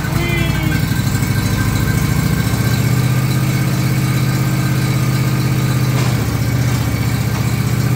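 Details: John Deere LA135 lawn tractor after noisy bearing replaced, clutch let out: steady, even engine drone with no squeal, chirp or rattle from the belt drive; running smoothly.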